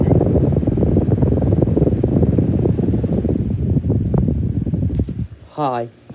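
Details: Cheap 2019 Schallen 12-inch desk fan kept in the garage, running at speed then coasting down: uneven scratchy rattling whir that fades as it slows, worse with oscillation on; worn fan motor bearings.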